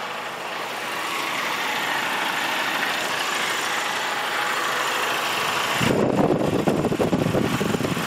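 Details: 2005 VW GTI 1.8T idling: steady, then around six seconds a louder, rougher low churning begins as the AC engages, disappearing when the clutch pedal is pressed; cause unknown.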